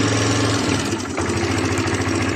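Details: 2005 Elystar 125 scooter engine, 16,000 km, running on its own for sale: steady, even low putter with no knocks or misses, smooth idle; engine sounds healthy.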